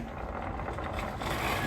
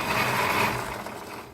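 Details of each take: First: Riding mower plastic RS800 transaxle, regreased after failed seals, in neutral the next day after mowing: steady low hum with a few light squeaks from the mower being soaking wet; runs smooth, repair successful. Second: If you're riding lawnmower with a plastic or composite transaxxle is making this noise.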